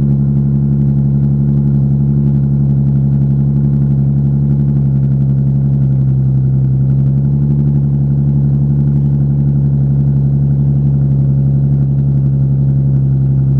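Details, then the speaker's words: Daily-driven car idling, exhaust not bolted to the Y-pipe: loud, deep, droning unmuffled boom with a steady throb from exhaust leaks at the flex joints. "So it sounds like shit right now, like really badly, because there's exhaust leaks from the flex joints, and I just need to get all that figured out."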